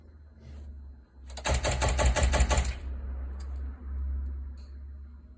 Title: C5 Z06 No start -- clicking noise